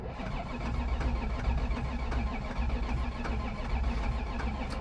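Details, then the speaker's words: Flood-totaled ZR1 Corvette after engine repairs, code 43 stored: starter churns steadily but the engine never catches; crank-no-start with no raw fuel smell, suspected fuel pressure/no fuel delivery issue. "besides it being obvious that the car didn't start it was very obvious to me that there was no fuel odor whatsoever usually if you have a crank no start your fuel system is working just fine you'll just smell raw gas as the car is trying to start"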